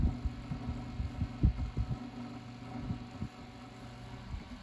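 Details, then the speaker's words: Lakewood HV-4 fan after repairing a shipping-cracked rear bearing housing and crushed blades; low steady hum with irregular thumps about once a second as the fan's vibration resonates through the table, quieter when lifted; table resonance. "yeah a lot of the noise is just the fan resonating it through the table it's pretty quiet once i lift it up"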